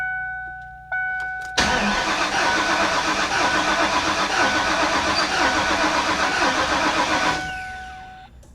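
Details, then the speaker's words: Flooded supercharged 347 stroker Mustang GT, cranking: starter churns evenly about four beats a second for six seconds, never fires; fuel pump heard, check engine light on, suspected no fuel or water in gas; cause unconfirmed. "you think it doesn't sound like it's trying to fire at all no I don't think there's gas"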